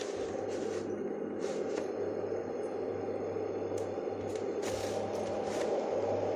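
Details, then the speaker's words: Dohm white noise sound conditioner unused about five years and clogged with drilling dust, after strip-down: steady even whoosh of air with a faint low hum, no rattles or ticks; fan runs smoothly, normal. "go there we go it's fine so what you're doing with a construction like this is you're raising the noise floor in the room"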